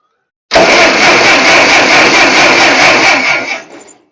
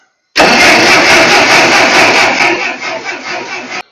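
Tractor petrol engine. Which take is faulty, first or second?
second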